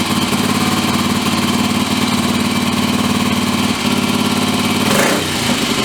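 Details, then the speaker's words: Bike engine being upgraded, started with petrol and choke on after refitting the orange tank: fast, burbling, uneven idle with occasional stumble; sounds rich, owner says carb probably needs tuning but it works. "Probably have to tune the carb a bit, but it works."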